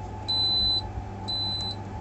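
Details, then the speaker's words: LAE AT2-5 refrigeration digital controller powered on 220 V AC, with evaporator and room sensors fitted, sounding two steady high-pitched half-second beeps about a second apart in a quiet room; LO temperature alarm tied to the ALA compressor over-freezing protection parameter. "Today I'm going to teach you on how to fix low alarm of LAE digital control."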